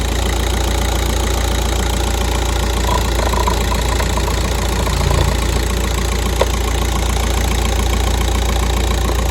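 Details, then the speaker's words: Volkswagen Golf 5, 200,027 km, petrol engine idling steadily after good start, no warning lights, with regular knock like a hammer tapping about three to four times a second from the engine. "чуєте цей звук як хтось стукає молотком двигуну"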